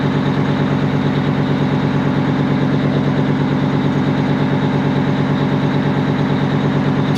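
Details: 1980 Peterbilt 359 with Detroit 8V92 two-stroke diesel, after bigger fuel pump install: steady, even rumble, regular beat, no misses or knocks, idling cleanly with fuel pressure now present. Normal idle.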